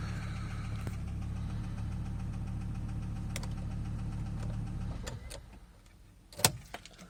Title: S70 T5 Rod Knock